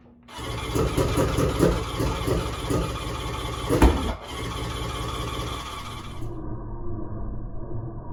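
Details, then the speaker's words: Three-cylinder 1100 engine with the two outer spark plugs removed: catches quickly, then a lumpy, uneven chuffing idle with gaps between beats, running only on the middle cylinder. "so it'll start and run easily on the mid cylinder with the other two plugs out whatever the issue is i've narrowed it down so that it seems to be running perfectly all the time on the middle cylinder"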